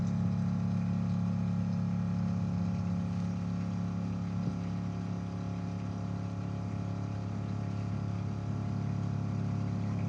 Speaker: Now that it's empty, you can hear how it's sucking air, and then the pump just lost pressure.